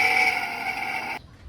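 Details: Centrifugal water pump before repair: a harsh, steady high-pitched whine from worn motor bearings; after replacing the bearings it runs much quieter.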